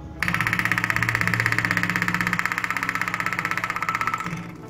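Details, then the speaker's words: Fuel pump bench-tested by applying 12 V directly: a steady high buzz with a fast, even pulsing of about three beats a second, rough and generator-like. Noisy, poor-quality pump that may cause bubbles in the fuel. "like I said before this one is not a very good quality pure form as you can see it's not it sounds like a generator so yep so chances are when a few problems like this it's a cool quality"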